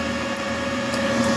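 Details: Large industrial crop-spraying drone 14S smart battery, charger error fixed; charging fast at 63–64% with no error; smooth even mid-pitched hum without rattles or surges: normal charger cooling fan hum.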